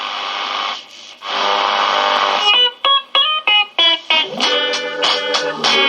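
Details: Kriesler 11-20 "Plum Pudding" valve radio, final test after repairing motorboating and other faults and restringing the dial. Clean guitar music plays steadily with no hum, crackle or putt-putt; normal playback.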